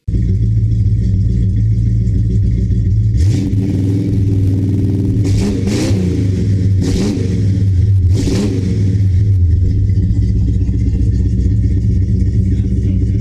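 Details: 1970 Dodge Charger, big-block 383 V8, after installing Flowmaster American Thunder exhaust (Super 40 mufflers, H-pipe): deep, loud idle rumble with several sharp rev blips rising and settling cleanly; healthy, considerably louder, true big-block Mopar sound.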